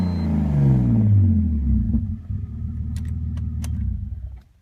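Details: 2001 BMW 330ci with catless headers and Dinan cold air intake, which runs fine for 5–10 minutes after restart before rough idle and bogging: engine settles from a brief rev into a low, even idle with no stumbles; running smoothly.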